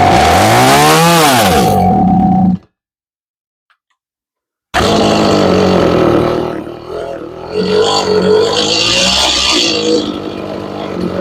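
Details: Stihl MS 180C chainsaw that sat for years, after tank cleaning and a new plug: revs up and sags, cuts out and restarts, runs only while choke is worked; fuel line holds pressure, carburetor suspected.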